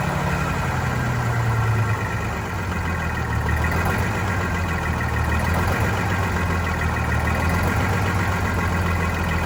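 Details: Vintage diesel bus in very cold weather, after fuel hose/line replacement and injector cleaner added: low idle hunts and stumbles unevenly, rough running; air suspected entering the fuel system from a line upstream of the new hoses (prime issue).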